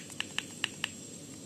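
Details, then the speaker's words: Mag Z magnetic brake reel with one O-ring instead of two: light, even clicks about five per second as the spool turns; two O-rings silence it, one only softens the normal knock. "Ini ada bunyi. Ah, ini juga berbunyi. Ini yang betul. Kalau kita pakai dua oring tidak berbunyi sama sekali. Ini masih berbunyi"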